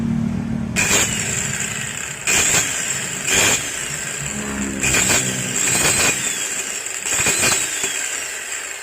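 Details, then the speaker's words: Maktec MT90 angle grinder tested before disassembly: high motor whine with harsh, rasping surges every second or two; the disc slips under cutting load due to a worn bevel gear and loose armature bearing. "nah yang pertama udah kedengaran suaranya terdengar keras kasar terus ini kalau dipakai atau kalau dipakai buat motong itu matanya ngelos"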